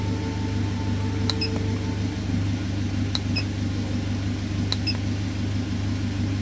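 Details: Warm idle of a 2010 Toyota Avanza with scanner data showing vehicle speed 0, battery 13.7 V and VVT position 0.0°. Even, steady low hum with faint clicks and no knocks or misses; engine sounds healthy at normal warm idle.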